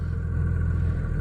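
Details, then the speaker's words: 2000 Dodge Ram 3500 5.9 Cummins 2nd gen, warm after 15-20 miles, previously hard-starting; after hooking to the radio fuse, repeated starts are instant. Catches at once into a steady low idle rumble, no long cranking; starts cleanly, runs healthy. "And I've started it 4 or 5 times now, and this thing would not start like this at all. This is how my Black Betty has always started."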